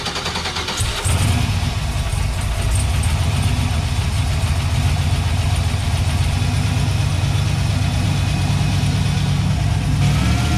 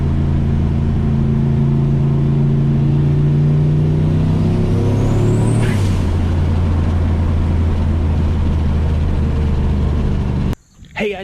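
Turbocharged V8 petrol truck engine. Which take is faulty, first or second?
first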